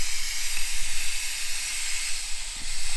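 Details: 1978 Jaguar XJ6 Series 2 barn find, idling around 800 rpm, temperature gauge barely above half: steady high-pitched hiss of steam as coolant overpressure vents past the expansion tank cap.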